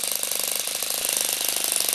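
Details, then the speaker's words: Saito FA-40 four-stroke glow plug model engine, 6.6 cc, about 500 W, top speed 12,000 rpm, valve caps removed: fast even high buzz with rapid valve gear clatter, no misses; running normally. "This glow plug ignition motor operates similar to a diesel engine. The engine displacement is 6.6ccm and the power output is approximately 500watt. The top revolution speed is 12.000 rounds per minute."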